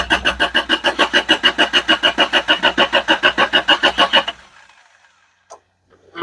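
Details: Isuzu Amigo just after refuelling, fuel pump still trying to build pressure: even starter cranking at about three pulses a second for four seconds, engine never catches. Cranks but won't start; cause suspected, not confirmed.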